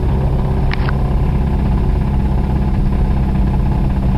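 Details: 1991 Toyota Celica ST: heavy, steady engine rumble with a dull, rapid rod knock at speed from a bad rod bearing; it threw a rod about 15 minutes later.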